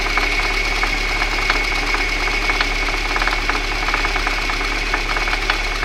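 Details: VAZ 2111 at idle: sharp metallic knocks about one and a half per second over a steady idle; a clear internal engine knock.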